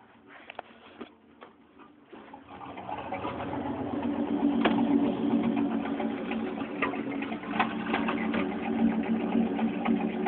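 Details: 1993 Chevy 4x4 with 305 V8, warm, showing a rough, uneven loping idle whose beat wavers; owner can't find the cause and suspects the 305 itself, with a 355 and comp cam planned as replacement.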